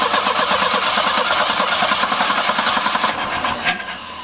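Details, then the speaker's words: 1984 Volvo 240 (245) that died on the interstate, spark confirmed and fuel pump heard running: fast, uneven chug of about three to four beats a second but never catches; cranks, won't start, owner suspects fuel, not confirmed. "so she cranks almost fires gets so close that almost sounds like a fuel thing"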